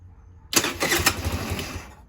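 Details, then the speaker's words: Tao Tao Baja SC50 GY6 scooter, choke applied: catches with uneven firing, runs about 1.5 seconds, then dies; won't stay running despite confirmed spark and fuel in float bowl; cause unknown. "Yep, she's starting, so we have spark. We're good with that. Now, my issue now is I can get her to fire,"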